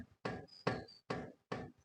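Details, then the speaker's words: Old-model Honda City, right front wheel lifted and rocked sideways: sharp dull clunks about one every 0.6 seconds with a shaking feel, play mostly sideways rather than up-down; worn lower ball joint causing a knock over bumps. "Play ചെയ്യുമ്പോൾ ഇത്രയും നല്ല രീതിയിൽ wheel കിടന്ന് കുടയുന്ന പോലുള്ള feel ഉണ്ട് അതുപോലെതന്നെ sound നമുക്ക് കേൾക്കാനായിട്ട്"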